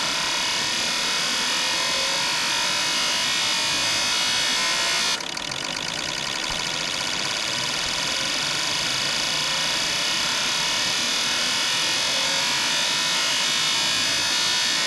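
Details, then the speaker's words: Fuel injectors on bench testing unit before rebuild, high-speed accelerating test: rapid even clicking under steady spray hiss, no misses or stutters; injectors firing cleanly and evenly. "Okay, here's another test. High speed. Accelerating test."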